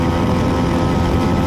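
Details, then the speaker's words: Flea-market bicycle with small two-stroke engine (size unknown), after new clutch cable, on test ride under load: loud steady unbroken buzz, pulling normally without stumbling; some rubbing noted. "all right it's running uh moving pretty good i don't know how fast we're going"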